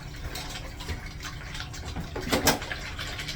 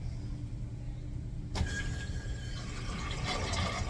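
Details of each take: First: Newly installed 1-gallon-per-flush flushometer valve on a restaurant urinal (kit didn't fit perfectly): water keeps hissing and gushing after the flush and never shuts off. Owner suspects debris clogging the diaphragm orifice. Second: Replaced flush valve on a urinal fed by city water: a sharp start, then an even rush of water that settles, tapers and shuts off properly; normal flush.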